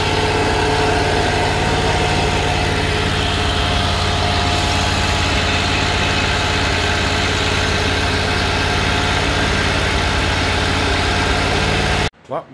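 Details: Kohler Command Pro 25 (CV730) twin on Great Dane Chariot zero-turn with cutting-off complaint, during reassembly: smooth even idle, steady beat for twelve seconds before shutdown, no stumbling or surging; normal running.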